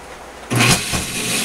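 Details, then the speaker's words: Hayward Super Pump pool pump motor, run on a table before bearing replacement; at switch-on it jumps to a loud, rough, gritty hum like a steel factory that stays harsh while running, worn motor bearing noise. "right all right so if your pump sounds kind of like a steel factory you might want to"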